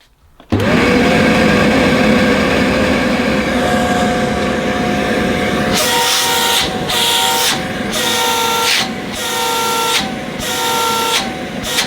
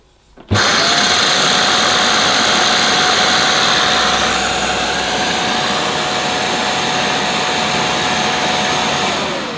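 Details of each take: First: Shark CV100UKT bagless cylinder vacuum: smooth motor whine, then repeated foghorn-like hooting about once a second as the inlet is blocked and freed; honk caused by airflow restriction. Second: Shark CV100UKT cylinder vacuum with an air-powered turbo nozzle (vanes driven by airflow) fitted: a steady, even rush of air with a constant mid-pitched tone that winds down smoothly at switch-off. The turbo nozzle runs normally and fairly quietly.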